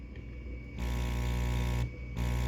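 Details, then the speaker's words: Aquarium air pump after its rubber pieces were pushed back into their slots so the metal no longer hits the plastic: it switches on into a soft, steady low hum with no rattle or buzzing; quiet, normal running. "So it's nice and quiet now, because I moved these rubber pieces back into these little slots here."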